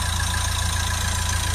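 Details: Nissan Qashqai 1.5 dCi diesel, after cleaning a severely blocked DPF, back pressure now about 5 to 6: steady, even diesel idle with a smooth low rumble, no knocks or misses; normal idle.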